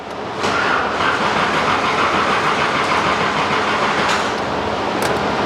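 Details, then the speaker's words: 1984 Nissan 300ZX at its first start attempt after sitting nine years, with old fuel siphoned out: the starter churns steadily at about three beats a second but never fires. It cranks with no start; the owner suspects a clogged fuel filter and is priming fuel. "okay so it's cranking that's a good thing right y okay let's try to prime it up again let it see if it primes fuel filter it might be clogged"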